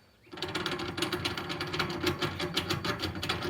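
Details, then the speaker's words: Jeep front driveshaft rear CV joint flexed by hand: rapid, gritty clicking and crunching, notchy throughout, while the front CV joint is fine. Worn-out CV joint. "yeah that's bad like so I don't know what went first this guy or this guy but that's that's a no bueno"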